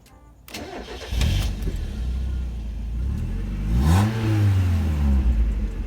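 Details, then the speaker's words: Mazda Miata after new thermostat, fuel pump, fresh fuel and coolant: brief cranking catches quickly into steady low idle, then a clean rev and settle: normal start. "we did it guys the Miata is alive"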